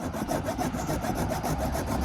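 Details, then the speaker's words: Chainsaw chain being hand-filed: steady rasping file strokes about four per second, cutting properly. "you can hear it just kind of slides, and I don't feel any vibration or friction when I'm running that through there."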